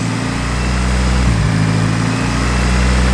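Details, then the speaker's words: Turbocharged car that shut off and restarted idling high after boost runs, smoke seen; fast, steady idle with slight hunt; suspected intake manifold gasket vacuum leak, plan to reseal manifold gasket with RTV. "What I'm gonna do is I'm gonna take the intake manifold off right now, take that gasket off, RTV it again, and put it back on and see if that fixes this whole idle problem."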